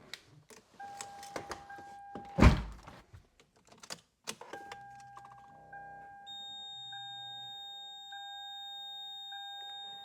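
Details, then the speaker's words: Lexus SC430 after ABS module replacement and battery reconnect: after clunks, a steady high screeching tone comes on and holds, new after the repair; origin unknown. "Did not hear that noise before. Well, it's making a screeching sound."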